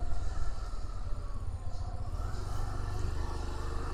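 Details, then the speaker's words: GY6 scooter after a manual ISC adjustment/reset, a new air filter and a road test; it previously died at idle over humps and started hard. A steady, low, even putter with no hunting or dying; the idle looks okay now. "Mukhang okay na."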